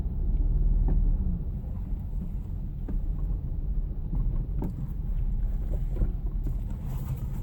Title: Impreza TS no power/misfiring (warm)